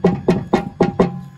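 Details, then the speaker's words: John Deere 318 mower deck removed; hand-turned spindle clacks about four times a second, a worn-out spindle bearing with lots of play that makes the deck vibrate loudly with the blades on. "It's not supposed to sound like that. It's got a lot of play in it. And when the blades are on, it vibrates a lot."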